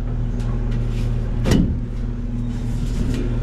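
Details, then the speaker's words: Package unit that customer says runs constantly without satisfying thermostat: steady low condenser fan hum with no compressor drone underneath; fan motor runs but compressor isn't running, cause still unknown. "we'll we'll guys this one the customer complained that it runs all the time I do not hear I"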